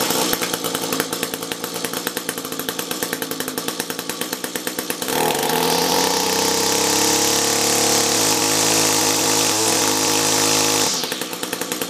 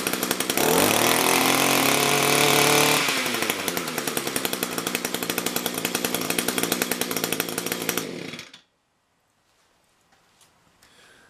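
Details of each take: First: Echo SRM-210 two-stroke trimmer with a rebuilt carb, compared with an identical unit on a new carb: high buzzy note wavers and runs unevenly as it revs and settles. Choppy-ish running, not really breaking up; idles a tad better, possibly due to tune. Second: Echo SRM-210 two-stroke trimmer with a new replacement carb, run in winter: screams at full throttle, drops to a lumpy lower speed, then cuts out. Revs up fine, a tad boggy: normal running.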